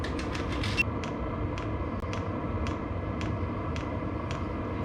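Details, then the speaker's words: VEVOR diesel heater settling from 24 W to 10 W on lowest setting: soft blower hiss with fuel-pump ticks about twice a second, briefly faster at first as the pump slows; running normally. "so that's that's fully operating clicker pump slowed down fans chilled out we're sitting at 10 watts and that's on the lowest setting"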